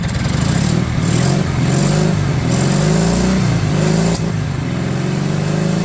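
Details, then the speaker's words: 1970 Honda 600 (N600) engine running on a newly hooked-up throttle cable: it holds a fast, buzzy, slightly wandering idle of about 4,000 rpm. It won't idle down because the throttle cable is too tight and has no play. "Actually, if I get it to idle down a little bit, we can really hear it. Does idling about 4,000 RPM. Of course, I keep losing my screwdriver. Here it is. Let's see if I can get it to uh Oh, yeah. It wouldn't idle down. So, that must be really too tight there."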